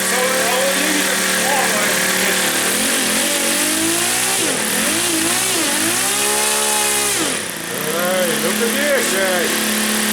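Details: RCV 91-CD rotary-valve four-stroke glow model engine, reassembled after cleaning with timing set, warm run test; high buzzy steady note with slight speed swells, no misfires or rattles: normal running.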